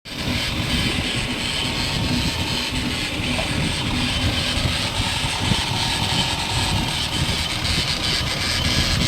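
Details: Holden Barina TK while driving: steady rumbling roar under heavy road noise, the drone of a worn-out wheel bearing.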